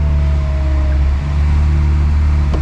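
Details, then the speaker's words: Acura Integra after power steering fluid refill and bleeding by turning the wheel: thin steady whine over a smooth idle that eases and improves as the line fills; pump purging air from the system. "a little whiny the line is probably still filling up with fluid trying to get all the air out of"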